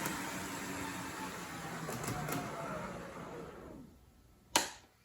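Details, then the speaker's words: O scale NWSL Stanton drive (can motor, worm gears to axle gears), after mechanical tuning (break-in, deburred bushings, adjusted axles), analog run at 6 to 9 volts: steady even whir, no catching or clicks, then winds down to a stop. Normal running. "This would be at 6 volts. [Applause] Much quieter."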